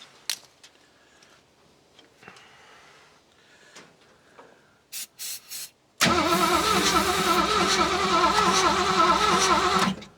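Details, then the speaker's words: Classic Ford Mustang with a swapped engine, sat for years, fuel pump being primed, battery possibly low: steady starter cranking at about 200 turns a minute for four seconds, never fires because the ignition coil was left switched off. "I don't. Oh, got to turn the coil on. Whoops. Still no dice."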